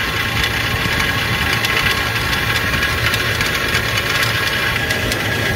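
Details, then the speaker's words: Walk-in cooler refrigeration compressor, still holding temperature, found during preventive maintenance: runs with a rough rattling knock like rocks tumbling inside; compressor bad, needs replacing. "I just wanna verify, but I mean, I can tell you there's rocks in that thing, so it's bad."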